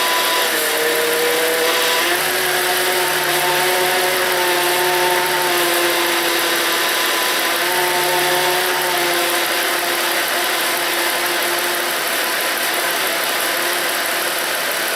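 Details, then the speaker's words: Volvo 3.2L inline six after power steering pump replacement, fluid now clear of foam: steady idle with only a soft tone shift as the wheel turns lock to lock, no whine or groan; normal power steering. "When I first started it up, it was very foamy and white, but it is cleared up and it is running really well. I'm very happy."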